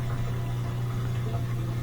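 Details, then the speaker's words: LG washer showing LE error, attempting high-speed spin to drain water: steady low buzzing hum and vibration as the motor kicks in but never spins; suspected faulty motor hall (rotor) sensor or its wiring. "คุณสามารถเห็นชนิดของการสั่นเมื่อมอเตอร์ทำงานแต่ไม่มีการหมุนมันพยายามที่จะไปทางด้านหลัง"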